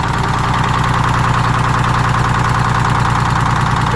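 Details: GM PD4104 coach with Detroit 6-71 two-stroke diesel, after sitting for years, started manually from the rear starter: steady, even idle with a rich drone, no knocking or stumbling; runs healthy.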